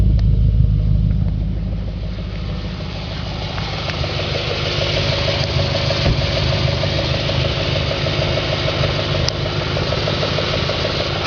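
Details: 2004 Audi S4 4.2L V8 at idle, oil pressure over 100 psi at idle (gauge possibly hooked up wrong): steady low idle with a light regular knock about three times a second; engine knock at idle, source not pinned down.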